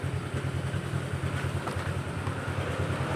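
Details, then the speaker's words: Honda Vario automatic scooter that lost power and stuttered at low rpm, test ride after repair: steady low burble with no stumbles or cutouts as revs are held; throttle now responsive, no stutter. "Ah, tidak. Sekarang sudah responsif lagi. Ah, sama sekali tidak gagap."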